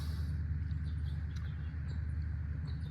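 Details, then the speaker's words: Chrysler 3.7 Jeep after lifter replacement, misfire on cylinder 5; low, uneven idle with an irregular stumble; bent number five valve, likely damaged when a lifter failed and the vehicle was still driven. "this valve right here in the number five is bent"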